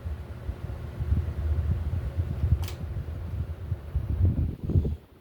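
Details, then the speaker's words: Hampton Bay Palm Beach ceiling fan on wall control at high speed, mounted in a different spot: soft low hum and gentle rhythmic blade whoosh; the same noise as before remains but is more damped, no ticking or wobble; normal running. "I don't know if you guys can hear that, but it's making that same noise still, but it's a lot more damped because it's on a different system."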